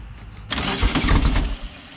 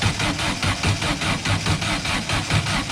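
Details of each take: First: Silver Volkswagen car after correcting spark plug wires to the right firing order: catches after brief crank and settles to steady even idle, no misfire; smoking, oil leaking. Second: Silver Volkswagen car just fitted with spark plugs and new plug wires: steady starter cranking, about four beats a second, no firing at all; cause found to be plug wires installed in wrong firing order.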